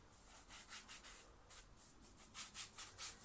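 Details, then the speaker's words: Dyson DC24 bearing race, freshly greased and turned by hand during reassembly. A soft, uneven hiss-like rubbing, about two strokes a second. Normal bearing race rubbing, not audible while vacuuming. "you can hear it that's probably gonna be how it goes when you're vacuuming you're not gonna hear it"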